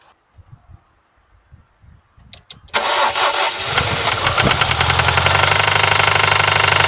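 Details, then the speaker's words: Fiat Coupe 16v turbo petrol engine: starts and settles into a steady metallic knocking about three or four beats a second, like something too loose; unhealthy engine, cause not confirmed. "as you heard it sounds awful it's sounds like something is too loose you hear the metallic knocking yeah I I mean this is not a healthy engine"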